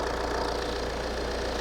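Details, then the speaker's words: 2011 Vauxhall/Opel Insignia, no power, codes P0234/P0299, overboost, testing wastegate/boost solenoid wiring: idle steady in level but with an uneven, lumpy beat instead of a smooth hum; rough idle. "I don't know if you can hear but the engine is kind of really rough idling"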